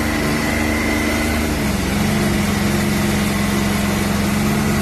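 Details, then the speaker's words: 2020 Can-Am X3 Turbo RR in neutral, sound meter behind driver's head: engine held near 5000 rpm with harsh uneven rattle over the drone, likely clutch area; rattle worst around 5000, better above 6000. "that's the five zone that that's the spot where you get that ugly-ass rattle then if you seem to pump it up over five and get into the six seven when you're blasting seems better"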